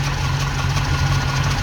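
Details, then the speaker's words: Ex-NZ Army V8 Land Rover (NZ 341) reassembled and running after Mallory ignition replacement with new distributor wiring: steady low V8 idle, even unbroken beat, no misses or knocks; healthy. "Right, she's all back together again and running."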